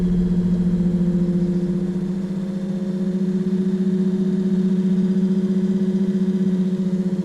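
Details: Excursion/Bison 24V 86lb-thrust trolling motor after brush holder replacement, bench-tested while turning the speed handle: smooth, steady hum climbing gently in pitch with speed, no crackle or brush chatter; normal motor run.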